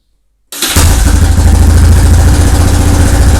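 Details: Yamaha 660 Raptor quad after top-end rebuild, starting on a car battery jumped in because the old battery seems weak. After a short crank it catches and settles into a steady, even low thump with no misses. Normal idle.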